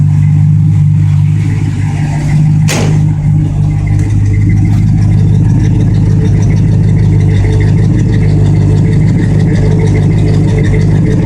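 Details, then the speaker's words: 1965 Plymouth Fury Sport, freshly restored, with new Flowmaster exhaust (pipes turned down), running: deep, steady burble with an even low rumble and no knocks or misses; runs smooth, normal running. "runs smooth."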